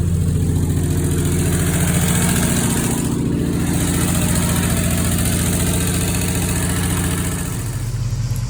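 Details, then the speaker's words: 1968 Ford F100, idle-ready after new carburetor, new fuel pump, new fuel tank and fresh gas, starts with the key: steady even low rumble, smooth firing, no knocks or misses; normal idle. "Fresh gas, and she does run. She starts with the key."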